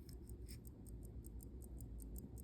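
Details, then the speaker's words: Elgin watch, face glass cracked, time just set, mic on camera: faint crisp evenly spaced ticks about five a second in a quiet room; movement running normally. "That's an Elgin. It does look like it says base metal. But that is ticking."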